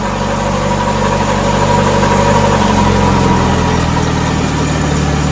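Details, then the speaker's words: 2008 Chevrolet Aveo started after an oil change with fresh oil at minimum level: even, steady idle hum with no knocks, ticks or squeal, though owner had just remarked it sounds like a tensioner bearing; runs smoothly. "oh she's a smooth runner"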